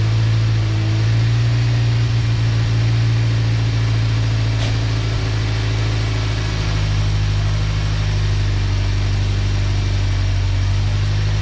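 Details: 1990 Ford Ranger with a remanufactured long block, after reconnecting a PCV vacuum line that had caused a large vacuum leak: deep idle with an irregular stumble and uneven low exhaust pulses; steady miss consistent with an exhaust valve hanging open.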